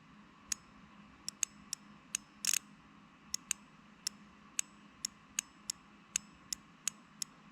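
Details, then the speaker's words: Wheel Horse 520-H lawn tractor with damaged starting-circuit wiring: starter-circuit relay bench-tested with alligator clips, crisp irregular clicks as it pulls in and drops out; relay works normally. "so this relay is definitely working"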